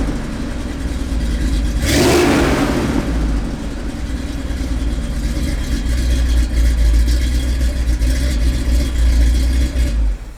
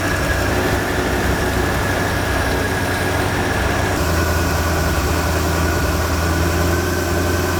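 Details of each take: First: Big-block 460 V8 swapped into Earl, hot idle after hot startup with straight pipes: sharp catch, then loose, uneven, wandering lumpy idle. Plugs look good; owner suspects it's starving for fuel, an idle mixture issue rather than jetting. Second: Big-block 460 V8 (swapped in) after opening the rear idle mixture needles that had been fully in and starving it of fuel: loud, steady, even idle with a deep beat, no misses or stumbles.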